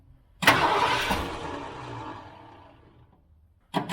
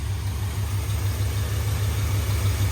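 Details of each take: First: 1978 Ford F-350 crew cab long bed parked 11 years, cranking after priming attempts: two long bursts of even starter cranking and it never catches; the mechanical fuel pump delivers nothing and will be replaced with an electric one. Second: 1978 Ford F-350 parked 11 years, running on an electric fuel pump with new plug wires: steady low even V8 idle rumble with no misses, idle settling slightly lower; small fuel leak remains.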